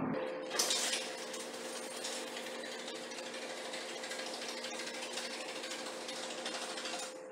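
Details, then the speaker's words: Garage door opener running after both extension springs and the safety and pulley cables were replaced; a steady chattering rattle with a faint squeak comes from the dry rollers in the tracks, needing WD-40: noisy garage door rollers. "So the last thing to do is to put WD-40, because you can hear the noise. We're going to put WD-40 in all the wheels, and then we turn, open and close it again."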